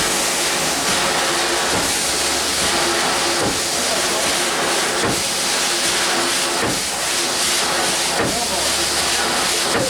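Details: 1895 Bates Corliss steam engine (14 in bore x 36 in stroke, 10 ft 9000 lb flywheel), first run in 80+ years on about 50 psi, running without dashpots: steady steam hiss with soft slow chuffs about 38 per minute; runs evenly.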